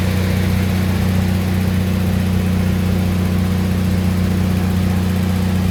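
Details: Lincoln SAE 300 welder with a Chevy inline-six engine, after ignition circuit repairs, started choked at about half throttle: a steady, even note at constant speed with no misses, knocks or rattles.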